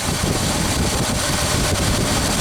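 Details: 1976 Ford F-250 390 V8 after Holley 6947 carburetor rebuild and fuel pump replacement, idle mixture screws adjusted for highest vacuum reading: smooth, steady idle with even low rumble, no stumbling; mixture sounds right.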